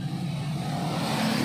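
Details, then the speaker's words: Freshly rebuilt Yamaha Mio i125 cranks but won't start despite power and running fuel pump: steady starter whir that never catches; cylinder head opened, leak found at exhaust. "Guys, bagong gawa lang to, kitang-kita no, pero ayaw umandar. May power naman, naandar naman yung fuel pump."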